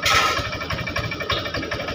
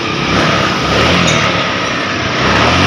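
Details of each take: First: Honda Vario 125 FI scooter, hard to start, MIL lit, heavy when throttled: rough idle with irregular thumps and stumbles, severe sputtering misfire. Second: Honda Vario 125 FI scooter, previously badly misfiring with MIL on, after reset procedure clearing the MIL: engine revs up and down smoothly with no stumbling or misfire.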